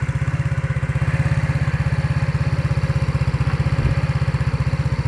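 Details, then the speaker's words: Used Yamaha Mio scooter on its stand, started easily first try: steady even putt about twelve beats a second with no howl or stumble, no smoke, quiet stable engine; healthy idle. "ส่วนเครื่องยนต์ครับผมเครื่องยนต์ก็นิ่งมากครับเงียบเงียบแล้วก็นิ่งครับไม่มีควันครับไม่มีหอน"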